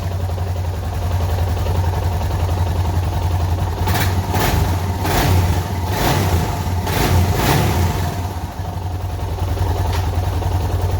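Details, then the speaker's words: Suzuki DR650 single-cylinder after replacing stock air filter with K&N and UNI secondary breather filter: clean blips up and back to idle, sounding like it breathes better, no popping or backfire on overrun as with stock filter; healthy. "You can actually hear a little difference in the engine sound, which is, it's not surprising. That's how it usually works in the car too."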